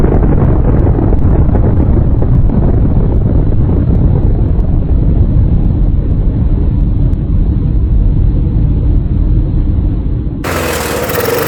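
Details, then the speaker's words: Murray mower, Tecumseh engine swapped for a Briggs (stated as "brace"), fitted with a different carburetor after the first was cleaned four times including ultrasonic: chugs with uneven lumpy beat, never steady; rough running, cause still unknown. "Yeah, this is not looking good for this engine at all. I don't I I'm at a loss, guys. I'm at a loss."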